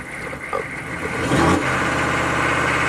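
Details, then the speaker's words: Chevy 6.5 turbo diesel truck, cold-start coolant temp reported about 100F too high, suspected PCM over-fueling via fuel control solenoid: shaky, stumbling, surging idle around 1,000 rpm; rough unstable idle. "all right here we go start up the truck again okay it's at 1,000 RPM shaky"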